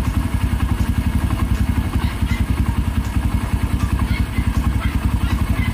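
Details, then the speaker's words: Kawasaki Barako 1 (175) single-cylinder idling after a new idle gear and a clutch housing rebushing that cured the looseness noise. An even putter of about 3–4 beats per second with no clutch-side rattle, now quiet. "So nawala na yung ingay dito mga kadit. Tahimik na siya. Mahimik na siya mga kadit."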